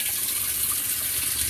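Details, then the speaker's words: Whirlpool WTW5300SQ0 top-load washer after a new timer was fitted, filling with warm water on a small load, normal regular cycle: steady, even hiss of water rushing in, no surging or hammering, a normal fill. "water is coming in right now nice and steady so yeah um this is warm this is this is warm water right now"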